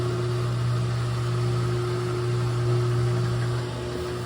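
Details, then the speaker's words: GE top-load washer after motor replacement, tested in diagnostic mode: clutch engages, then a steady even hum with constant low tone and no knocking, scraping or wobble during spin; new motor fixed it. "so you've got to hear the clutch kick in and it did already now it's going into a spin cycle so just replacing the motor alone fixed it"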